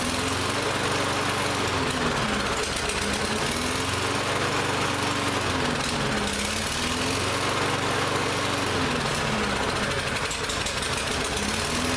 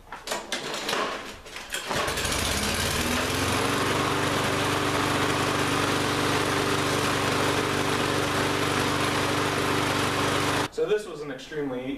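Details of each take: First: Lawn-Boy mower that ran last season but wouldn't start this season, after repeated start attempts: speed surges up and down about every four seconds, rough hunting; carburetor believed still partly gummed up. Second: Lawn-Boy mower that wouldn't start this season, running with the air filter off: fires and settles into a steady, even drone with no surging or misfire, then cuts off; normal running.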